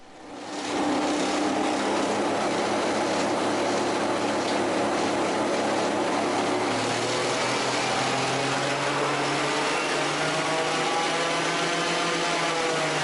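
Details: Raptor prototype aircraft on takeoff roll: engine roar building with a harsh, rapid rattling shudder from nose gear shimmy; brakes avoided as they'd worsen it, power pulled back to roll out.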